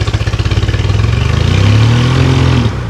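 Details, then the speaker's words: Lada Zhiguli engine with slime and putty added to the oil as an experiment: lumpy, uneven thump stumbling as revs rise, like one cylinder dropping out; misfire, running on three but still running. "троит но работает можно было бы его просто починить а не ломать дальше"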